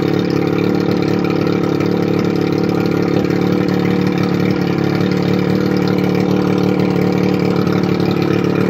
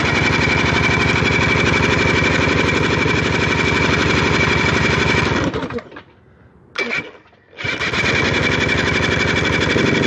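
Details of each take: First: 1981 Evinrude 35 HP two-stroke outboard, run with gearcase off, 150 psi compression in both cylinders, barely warm: loud, steady drone holding an even beat with no stumbling; normal running. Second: 1981 Evinrude 35 HP two-cylinder outboard, gearcase off, weak starter, number two spark plug removed: sharp even popping about four beats per second, cutting out and restarting briefly; running on one cylinder; compression 150 psi both cylinders.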